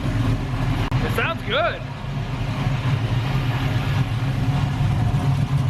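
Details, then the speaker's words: LS-swapped Camaro, first start on a quickly made base tune, intake off, exhaust rattling where unfinished welding: deep, steady V8 rumble settling into an even idle with no stumble or knock; normal idle. "all right man we got a running car and it sounds good the tune could be way off obviously"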